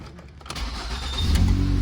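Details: 2012 Ford Escape 2.5L no-start: starter cranks briefly, then the engine catches and settles into a steady, even idle; starts cleanly.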